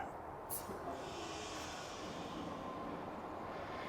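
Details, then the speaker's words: Kenworth W900L semi with the red trailer supply line hooked on and the valve opened: a steady airy hiss over a quiet idle as air feeds the trailer airbags and brakes. Normal trailer air supply charging hiss. "You can hear the hissing. It supplies air to the airbags."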